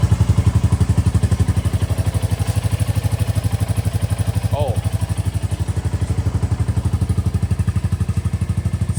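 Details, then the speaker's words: 2024 Royal Enfield Bullet 350 single, just after valve clearance adjustment (between 0.15 and 0.20 mm): steady, even thumping at about four beats a second, no ticking or clatter; idling cleanly. "good. Sounds really good."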